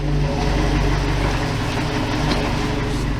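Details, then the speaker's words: 1987 Toyota Pickup with the 22R-TE turbo engine, which earlier had leaking bad fuel injectors, warmed up for about 3 minutes: idle has dropped to about 500 rpm with a slow, uneven lope over a heavy rumble; rough idle, cause unconfirmed. "the idle has dropped down a little bit has a almost a bit of of a like a loping sound to it"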